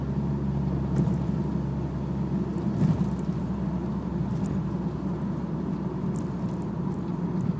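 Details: BMW E46 cruising: low, steady drone under road noise holding a constant pitch, pointing to a worn propeller shaft.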